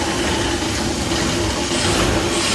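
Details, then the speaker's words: Boyertown step van with propane carburetor, cold start after exhaust leak repair: slightly rough for 10–20 seconds, then settles to a steady smooth idle with no belt squeal. "You run just a little bit rough for about 10, 15, 20 seconds when it's cold like this. And then it'll just smooth out like butter. Starting to smooth out now."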